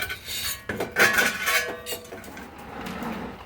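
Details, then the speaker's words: Old gas water heater, drained and being dragged out before replacement with a 40-gallon Bradford White natural gas unit: loose gritty rattling and scraping as the tank tips, sediment sliding around the bottom. "listen to all that sediment all right boy nasty"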